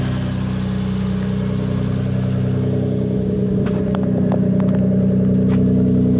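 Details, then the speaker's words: Toyota Supra Mk4 (2JZ-GE) after welding the split original exhaust manifold and refitting exhaust, heat shields and induction kit: smooth, even idle with steady low drone and a few faint ticks; sounds healthy. "well that definitely sounds better than what he did at the start of the video"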